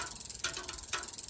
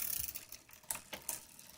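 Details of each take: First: Road bike rear derailleur in easiest gear with the low limit screw loosened, wheel spinning: quick freewheel clicking with a sharper tick about twice a second as the derailleur cage catches the spokes. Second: Road bike after a quarter-turn adjustment of the derailleur adjuster screw: light rapid freehub ticking with no rubbing or chatter from the chain; the drivetrain runs quietly with no chain rub.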